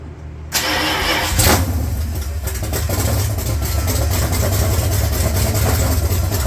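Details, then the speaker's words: 1970 Dodge Challenger 340 engine with A904 transmission, freshly reassembled and reinstalled after a wreck, first start: cranks briefly, catches cleanly, settles into strong steady lumpy V8 idle without knocks or misfires; normal start and idle. "I don't know it's going to start though sounds good huh"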